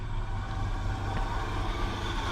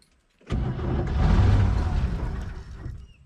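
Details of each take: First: 1969 Chevy truck, old engine revived after sitting about 30 years: now settles into an even steady idle with low rumble; earlier noise suspected as dead miss or rod knock has gone. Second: 1969 Chevy truck with inline six, parked about 30 years, new points, cap and rotor, gas poured in, in neutral; rough starter, then an uneven burst of low chuffing as it catches and stumbles; hard start, briefly fires and runs.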